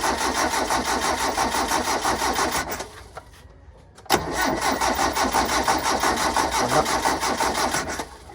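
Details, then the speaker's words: Three-cylinder gasoline engine hard-starting after sitting two weeks: starter cranks about three beats a second, pauses, cranks again without catching; crank-no-start, fuel not coming up, dirty fuel filter suspected. "Walang umaakyat na gasolina ano kaya?"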